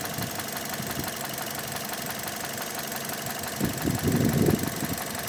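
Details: 2006 Mazda 6 GG 2.0 at idle: quick, uneven knock about four per second; cylinder 1 rod bearings spun and crumbled from oil starvation (stuck oil rings, 300-500 g oil/day); fix is replacing rod bearings.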